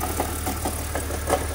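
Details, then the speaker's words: 2001/2003 car with manual transmission at idle, clutch out: sharp irregular knocks about three or four a second from the central engine area; owner first suspected harmonic balancer, then ruled it out; noise goes away when clutch is pressed; source unconfirmed. "oh it's definitely not harmonic balancer it's more Central engine I really don't know when you do clutch it it goes away"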